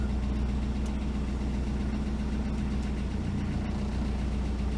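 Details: Toyota prerunner truck, bought non-running, idling after body and frame grounds were added: a low, steady idle with an even, unhurried rhythm and no knocks or misses. It runs smoothly.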